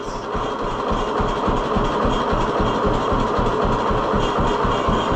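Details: 1948 John Deere B two-cylinder tractor after ignition fix on Wico X magneto: slow, even putt-putt at very low idle, clean firing with no misses; owner says it never idled this low before.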